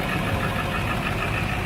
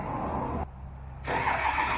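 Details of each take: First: High-mileage turbo diesel in cold weather idling roughly after a hard cold start, with uneven clatter and a heavy low rumble; dead glow plugs and water in the fuel were found, along with an exhaust back-pressure valve stuck closed. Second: High-mileage turbo diesel in cold weather after dead glow plugs, water in fuel and a stuck exhaust back pressure valve were fixed: rough clatter catches, dips, then settles to a steady idle; normal cold start.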